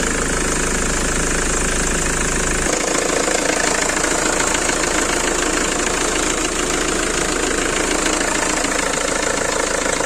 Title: Belt squeal on Ford Transit 2.4, 2 monts old belt and pulleys.